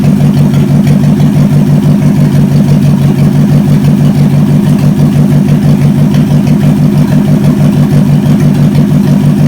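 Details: Chevy 283 V8, Facebook Marketplace find, run on the shop floor just before a compression test: steady, even idle with quick regular exhaust pulse, no misses, knocks or ticks; runs so good, healthy normal idle.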